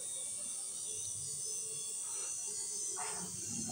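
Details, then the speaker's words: Royal Enfield Thunderbird 500 fuel pump motor bench-run after repair, motor polarity reversed back after it had pushed air the wrong way: faint steady high-pitched whine, spinning freely at full rpm; normal running. "তো যখন polarity change করে দিলাম তখন দেখলাম আবার খুব সুন্দরভাবে মোটরটা ঘুরছে সাউন্ডও শুনলে বুঝতে পারবেন ফুল আরপিএম এ ঘুরছে"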